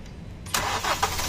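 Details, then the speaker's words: Hyundai Accent diesel restarted after injector replacement and coding: cranks, catches cleanly and settles to even idle with no knocking; the earlier knock heard inside is gone. "Yun. Wala na. Alright. Tapos na siya."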